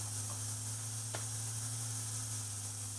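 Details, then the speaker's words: JVC cassette deck playing back a test tone recorded on a roughly 36-year-old metal tape with HX Pro on, Dolby off: steady high tape hiss over low mains hum, response near zero dB at 15 kHz; ordinary tape hiss. "down near zero db at 15 kilohertz with the tape hiss of course"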